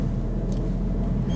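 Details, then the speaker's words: 2005 Mitsubishi Shogun Pinin, low mileage, cruising on the road: steady low droning growl at one pitch over road rumble; owner suspects a worn wheel bearing, noise worse when steering is applied. "that wheel bearing is making me ill give me a headache oh yeah right I now suspect it's the wheelbarrow because as soon as I put my steering wheel on a bit of a bit of luck the noise has got worse"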